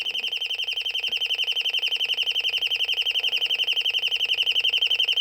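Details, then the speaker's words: Royal smoke, gas and fire alarm, likely late 1970s or 1980s, speaker-driven: rapid, even, shrill beeping near three per second at one high pitch, quieter than expected; alarm test mode sounding. "and it's not as loud as I thought it would be um it's loud enough that I have to talk over but there you go"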